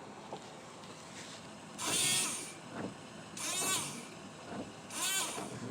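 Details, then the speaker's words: 2007 Volvo VNL 670 truck, replacement windshield washer pump plugged in before reassembly, heard from the cab: three short hissing whirrs, cleanly starting and stopping. Pump works. Normal washer pump operation. "so don't know if you can hear but i can definitely hear it so that means the pump's good to go"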